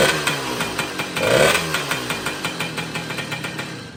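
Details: 1966 Ward's Riverside (Benelli) 50cc moped, first start after rebuilding a seized engine: small single buzzes with quick, even popping for a few seconds, then fades down; fires cleanly and runs healthy.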